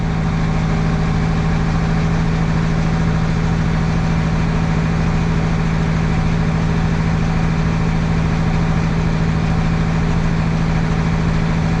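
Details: Caterpillar 3176 diesel at a roadside service call after a fuel leak repair; deep, even idle with a steady drone and regular low beat, no misses or knocks, sounds better; normal idle.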